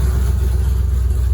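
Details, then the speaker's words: Car with new alternator after a bad-alternator voltage issue: V8 idles with a deep, lumpy rumble and regular puffing pulse, sounding poor; exhaust leak. "so now we have an exhaust leak as you can probably hear the car doesn't sound great um but it fired off"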